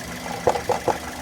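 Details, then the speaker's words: Car engine idling with its engine cover broken at the base and loose: irregular light clatter in short bursts over a quiet idle; loose cover rattle. "eu acho que vai dar para fazer ouvir a tampa ela tá quebrada aqui na base ela faz esse barulho"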